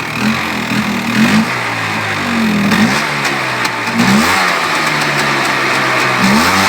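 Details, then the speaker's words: Polaris Xplorer 400 after two years sitting, choke off, possibly too much oil: revs rise and sag in uneven blips every second or two, never settling; engine will not hold idle. "still doesn't want to idle but whatever not too big of a deal"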